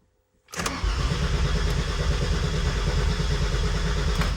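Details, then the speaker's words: Mercedes W203 with turbocharged M104 engine and new fuel surge tank; starter churns about four seconds without firing because the fuel pump was left switched off; crank no start. "i need to switch on the fuel pump"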